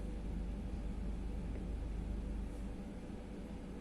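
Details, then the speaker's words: Brunvoll bow thruster after repair of its PLC electronics (24 V DC line overvoltage, burnt varistor and broken board track replaced): motor started, low steady rumble with even drone, no knocks, grinding or surging; normal running. "работает отлично подруливающее устройство исправно"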